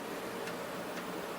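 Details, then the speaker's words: NEC PC-9821 Ce2 (PC-98) booting DOS 6.20 from a game floppy: soft regular ticks about every half second over faint drive whir, normal floppy seeking and reading. "you wait for the PC-98 to read DOS 6.20 off the floppy disk."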